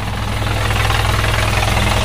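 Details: Isuzu 4HF1 diesel idling with a rough rattle and whir from a worn, noisy clutch release bearing; transmission pulled to replace it.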